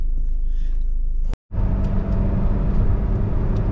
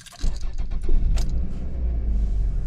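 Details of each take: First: 2001 Toyota RAV4 2.0L four-cylinder after coil pack and spark plug replacement: engine pulls smoothly under acceleration with clean steady rumble, no stumble or misfire; check engine light no longer blinking, no misfires in live data. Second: 2001 Toyota RAV4 2.0L four-cylinder with a blinking check-engine light and no acceleration. After the coil was swapped from cylinder 3 to cylinder 2, the engine cranks into an uneven, lumpy idle and the misfire follows the coil: a faulty coil pack.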